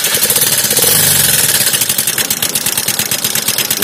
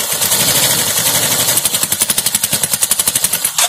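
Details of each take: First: Suzuki Access 125 scooter at idle: fast, light, steady ticking over the idle, tappet clatter from rockers starved of oil because the oil filter was never changed, lightly damaging the rocker; fix is replacing the oil filter. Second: Suzuki Access 125 scooter after repairing tappet noise caused by no oil reaching the tappets, cover off; quick, even mechanical ticking at a settled idle with no grinding or irregular knock, then shuts off; tappet noise gone, normal idle.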